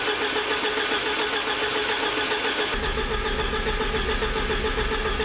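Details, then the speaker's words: 1986 Porsche 944 Turbo (951), sitting over a year after cutting out while driving: steady starter cranking, even compression pulses, never catches; fuel rail gauge shows zero fuel pressure, fuel pump or its circuit suspected. "and that also confirmed that there's zero fuel pressure."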